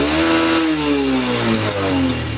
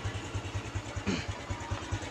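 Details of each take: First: Honda Revo Absolute (Revo Fit), carbureted, non-injection motorcycle: repeated revs with sharp pops and bangs from the exhaust each time the throttle snaps shut, also occurs under engine braking on descents; exhaust popping on throttle release. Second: Honda Revo Absolute (Revo Fit, carbureted, non-injection) after backfire repair: single cylinder idles evenly around five beats a second, no exhaust popping; running normally, backfire cured.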